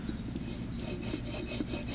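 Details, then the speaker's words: Water pump removed from a 1979 Chevy truck, spun by hand, giving dry gritty rasping in quick strokes; the bearings are shot, the pulley flange wobbles and is warped, and the pump had leaked; worn water pump bearings. "Yeah, when you hear a water pump like that noise, that's not good. So it's done."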